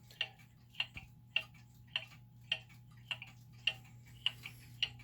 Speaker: so now we've got the clock that's in beat we think it's pretty level